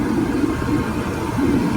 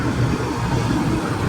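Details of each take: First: Older Comfortmaker forced draft furnace restarting after the open high limit switch was replaced: a steady, even whir with low hum as the inducer spins up and purges gases before ignition; it sounds normal and smooth. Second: Older Comfortmaker forced draft furnace that turns on but will not ignite, showing a 4-flash code from an open high limit switch: a steady low fan hum with no burner whoosh following.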